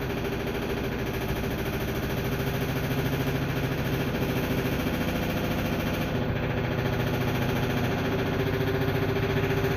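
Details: Brand-new LG 3250 washer, just plugged in: steady running hum with a quick loose tapping of about three to four clicks per second; cause unknown.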